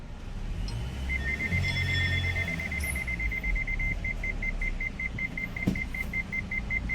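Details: Warning beeps, evenly spaced two to three a second over low cabin hum, as reverse gear won't engage on a 2020–2021 MG Hector Sharp Plus petrol automatic; first and second engage, after transmission control module special function; stored codes won't clear.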